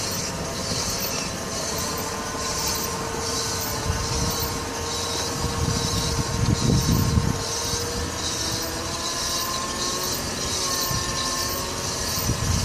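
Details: Nissan Altima Coupe after replacing the front driver-side wheel hub: rhythmic metallic scrape and thin squeal about four times a second with wheel rotation; the heat/dust shield was hitting the rotor and was removed.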